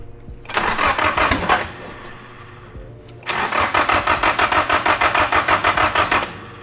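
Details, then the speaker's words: SR20 in a 240SX on first start with a brand-new DeatschWorks 400 fuel pump and new wiring: long bursts of steady cranking at about three turns a second that don't catch, fuel pressure building slowly and very low; hard starting. "Well, at least it's running off the injectors now. But it's not happy. It's weird how slow it builds up pressure though."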